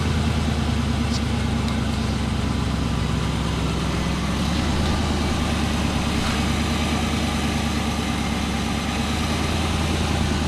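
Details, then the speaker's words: 1988 Ford Mustang LX 5.0 V8 Fox-body, two-owner, 75k miles, just pulled from Vermont: low, lumpy idle with uneven pulse and slight hunt; rough idle, idle air control valve suspected worn, not confirmed. "like the idle air patrol is a little shot yeah it's going to need a little going through"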